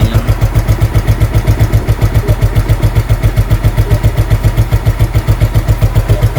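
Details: SP 110cc scooter with freshly cleaned carburetor, fixed for hard morning/cold starting: steady, even idle thump at nearly four beats a second with no misses or stumbles; normal idle.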